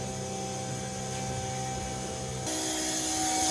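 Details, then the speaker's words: Fuel feeder pump switched on in a 20B bridgeport rotary FD3S RX-7 during first start-up; steady high electric hum stepping up in pitch and staying even, normal fuel pump operation. "That sounds like the feeder pump there. Maybe. Let's see. Yep, that's definitely it."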